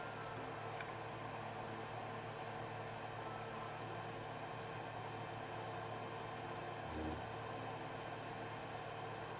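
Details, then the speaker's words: Creality Ender 3 with direct drive, after applying Super Lube grease to the Z lead screw: gantry raises with soft, even hum, no squeaking or binding, smooth Z axis movement. "It's super silent and you don't hear the squeaking sound. I'm showing you this in real time so you can verify that there is no squeaking."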